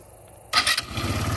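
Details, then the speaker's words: Chinese GY6 150cc or 250cc ATV after tune-up, electric start: brief starter whir, engine catches within a fraction of a second and settles to even idle; starts easily. "oh that starts easy good tune up"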